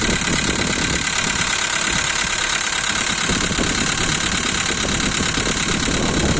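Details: 2012 Volkswagen Polo, 1.6 CFNA engine, cold start idle: fast, fairly regular light tapping over the engine note, one lifter clattering loudly and a couple softer; hydraulic lifters ticking on cold start.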